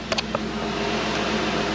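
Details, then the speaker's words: 1994 Ford Mustang GT, not started in six years, after a fuel pump replacement (owner suspected a bad pump and bad gas): starts and runs with a steady, even hum and no misses, knocks or hunting; normal running. "i don't know if it's alive and well but it's alive it sounds good"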